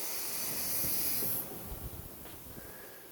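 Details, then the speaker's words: Ford Excursion 6.0 diesel, charge-air cooler tube pressurized to 25 psi with a shop compressor: sharp steady hiss of escaping air fading as pressure drops; boost leak from the plastic CAC tube. "we just go 25 psi sure you guys can hear that there's Malik plastic piece of crap hose"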